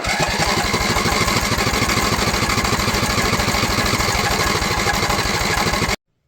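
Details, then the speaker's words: Craftsman LT1000 mower with Walbro carb, after blowing black smoke and dying: steady starter cranking about three turns a second for six seconds, never catching, fuel shut off to test the float; owner suspects no fuel. "I turned the fuel off to see if it was the float was letting too much fuel in, but now it acts like it's got no fuel."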